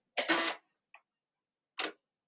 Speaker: that is normal that noise is normal it's the floppy disk booting up